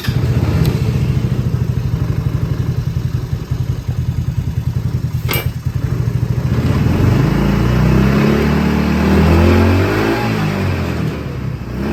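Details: Hammerhead R-150 side-by-side GY6 150cc engine, after replacing a carburetor that would not stay running with a new 24mm manual-choke carb: engine catches and settles into an even put-put idle, revs smoothly and keeps running.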